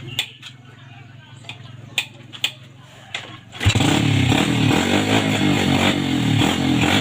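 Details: 2007 Yamaha Vega R after carburetor cleaning for sputtering and coughing; a few clicks, then fires and revs cleanly with even steady pull, no stumbling or coughing; normal revving.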